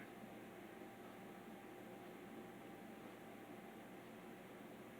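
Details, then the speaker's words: 52-inch SMC hugger ceiling fan running at one of its higher speeds, which it buzzes on: a quiet, steady hum with a faint fixed tone under the air rush, the fan motor humming. "can hear it buzzing or humming whatever you might be able to hear it don't know if you can"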